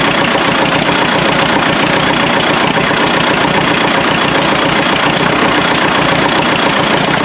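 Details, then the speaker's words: Freshly rebuilt MD tractor engine, stuck for about 40 years; loud irregular loping diesel idle that bounces between running on two and three cylinders; misfire cause not yet found. "it likes to bounce back and forth between two and three cylinders on diesel hopefully maybe over island three nonetheless true - like I said a few bugs to work out of it yet it's running"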